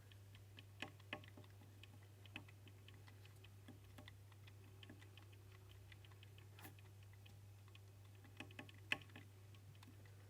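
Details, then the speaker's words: Wahoo Kickr bike trainer, mic held close while turning. Faint irregular sharp clicks over a low hum. A part rubbing the belt wears it, and the dirt gets stuck in the belt drive gear, causing the clicking. "the gear is making that noise every time dirt gets stuck in there and making a clicking noise."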